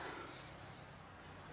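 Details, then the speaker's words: 2009 Hyundai Accent 1.6L GLS DOHC, timing belt service: water pump bearing spun by hand with pulleys removed gives a soft, smooth whir fading evenly, no grinding or resistance; healthy water pump bearing. "Just going to want to spin it, listen for any type of weird grinding noise or resistance. There's nothing on there. That water pump sounds good."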